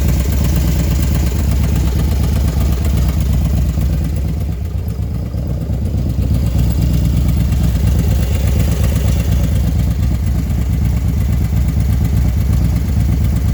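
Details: Engine ticking only when hot, after installing a 110 kit: steady idle with fast, even light ticking riding over the engine beat, following engine speed; source undetermined.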